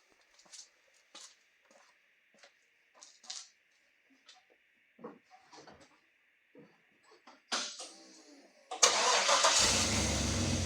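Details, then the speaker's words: Land Cruiser starting after a full rebuild, still without an air filter: scattered clicks, then a brief crank, a clean catch and a steady idle without stumbling. Normal engine start. "So I think it's time to fire it up, pull it out of the shop, and give it a test drive."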